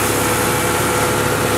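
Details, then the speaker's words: 1986 Ford LTD Crown Victoria LX with a 5.0 Explorer engine, GT40P heads and A9P EEC-IV computer, in a KOER cylinder balance test at raised idle: injectors are killed in turn, and the exhaust turns uneven and lumpy with one cylinder dead. Single-cylinder misfire. "you can hear the change in the exhaust note and how the engine's running here how here how how the exhaust note changed that's basically what a misfire sounds like one cylinder is completely complely dead"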